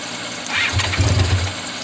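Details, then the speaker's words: 1985 Honda VF500F Interceptor motorcycle. With gasoline sprayed from a bottle into the intake it fires briefly and dies within a second. There is no fuel leak, but the carburetors aren't feeding fuel, so it runs only on sprayed fuel. "we don't have a fuel leak when i spray the gas inside of here i just don't know why it's not going through the carburetors again"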